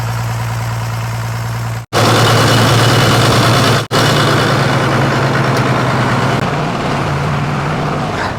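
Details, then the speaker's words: 1993 Dodge D350 Cummins turbo diesel, abandoned 18 years and run on an alternative fuel supply, driving in gear under light load: uneven limping beat about three times a second; one cylinder dead, running on five. "well it drives it drives on five baby it drives all five"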